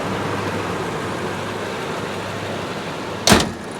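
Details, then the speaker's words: Toyota Tundra with 242,000 miles at salvage auction: steady even idle with no knocks or misses, one brief click near the end; engine runs smooth like new. "look at it listen to it it runs like it's brand new"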